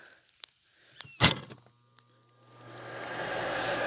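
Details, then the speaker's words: Hardy H2 outdoor wood heater, new damper blower fan replacing a locked-up one: clack on plugging in, then smooth spin-up to a steady quiet whoosh with no bearing rumble; healthy replacement blower. "that one sounds so much better than the previous one the bearings are quiet"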